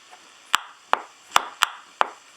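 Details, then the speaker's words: Ranger RCI 2950 radio with volume turned to zero, still producing odd static: five sharp irregular pops in about 2.5 seconds over a quiet background; intermittent crackle, appears when the chassis is flexed, likely a loose connection. "Okay, you see that the radio's down to pretty well zero volume. So even with the volume down, I'm getting that issue."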